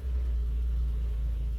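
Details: 1954 Nash Airflyte two-door sedan with exhaust-heat choke, cold start at 36°F; low heavy rumble, engine barely hanging on at a very slow cold idle as it clears out and smooths.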